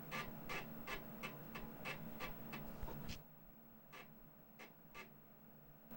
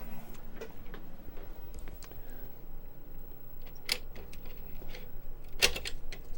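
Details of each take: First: 35+-year-old Commodore Amiga 1000 floppy drive after cleaning the head with alcohol and oiling the moving parts: crisp, regular clicks and seek ticks about three a second, no grinding. It boots Kickstart and Workbench normally. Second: 35+-year-old Amiga 1000 floppy drive, reinstalled and asked for Kickstart: quiet irregular ticking and clicking as the head seeks without settling, and it fails to boot.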